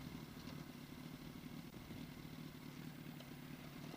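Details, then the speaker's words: Yamaha R1 at idle after an oil change to Amsoil: quiet steady idle with a light metallic clatter that stops when the clutch is pulled in; owner suspects the clutch basket, not confirmed. "But that clutch basket or something just making a lot of noise. When I press in the clutch, it goes away, man. But I hate that sound."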